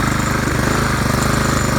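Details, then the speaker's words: Craftsman weed trimmer 536.773500 with a Honda engine swapped in, running an old pressure-washer carb, first start: quick, slightly uneven single-cylinder firing that never settles. Owner suspects a dirty carb and possibly the spark plug. "It's promising. It's not running as well as it should, but at least it's running."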